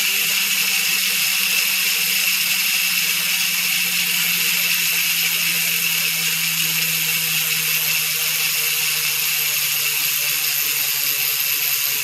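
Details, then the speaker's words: Trail Mech freehub (Ukraine made, 60 points of engagement), checked after 6–8 months of use: fast, fine, continuous buzzing ratchet as the wheel freewheels, even and crisp with no grinding or skipping; normal, healthy freehub clicking. "Okay guys, pakinggan natin ngayon ang tunog ng trail mech hub after 6 months na nagamit natin. Tingnan natin ngayon siya kung gaano pa rin kaingay ang trail mech."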